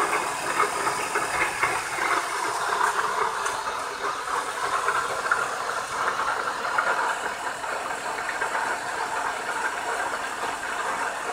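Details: BMW E36 engine running with a hissy, uneven rattle over it and no clear rhythm; an odd engine noise of unknown cause.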